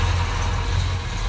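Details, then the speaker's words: 1969 Plymouth Road Runner with 440 V8 (originally 383 car), 727 automatic, rebuilt carburetor, new exhaust, just started after delivery: deep steady low burble, even firing, no knocks or misses; sounds really good, nice smooth idle. "It sounds good though. Sounds really good. Oh man, there's nothing better than that smell. Best smell in the world. A nice smooth idle."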